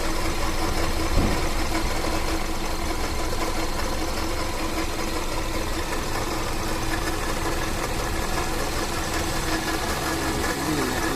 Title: Bad Water Pump Sound. #waterpump #bad #sound #engine #carparts #automobile